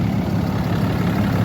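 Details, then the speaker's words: 2012 Ram 3500 6.7 Cummins diesel at idle after replacing a water pump with a loose, rough pulley and a broken belt: steady, even rumble, no knocks, ticks or squeals, no leaks, running cool. "all right we got everything running back on I don't see anything dripping [Music] all right everything is running nice and cool checked it out didn't have any leaks"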